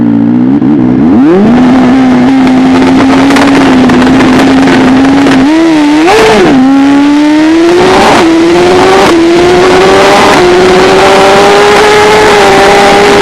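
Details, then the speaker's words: Drag car at the track: engine note climbs but stutters and drops repeatedly after the car spun in second gear on a poor track surface, with traction control intervening heavily. "Second and spun, then traction control was going bonkers."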